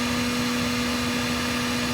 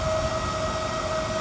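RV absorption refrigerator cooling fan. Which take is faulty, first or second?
second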